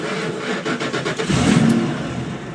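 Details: 2000 Ford F-150 after sitting about three weeks: starter cranks briefly, engine catches cleanly and settles toward a steady idle; normal cold start.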